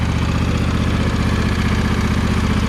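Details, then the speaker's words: John Deere 100 Series small petrol engine idling warm after valve adjustment, with a quick, steady tick over an even thrum; valves were tight, not loose, so the ticking is not the valves. "yeah man she's ticking to beat the band that's what i was trying to stop"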